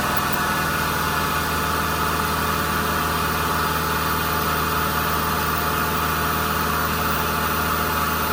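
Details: Kubota combine harvester diesel, under 1000 hours, after turbo replacement for a failed turbo (heat suspected main cause); steady even drone, deep low rumble, no knocks or rattles; engine healthy and settled.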